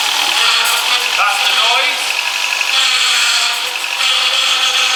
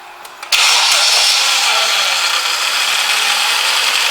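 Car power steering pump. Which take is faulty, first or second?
first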